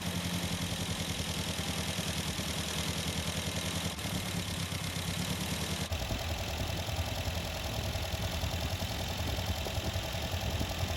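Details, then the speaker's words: 1974 MGB after a full engine rebuild, choke off and heater on. Ignition timing is set to 11° BTDC; the engine settles to a steady, even idle around 1000 rpm with a smooth low beat, no knocks or misses, idling normally. "so this thing is running really really good uh i basically got it perfectly at 11 degrees before top dead center"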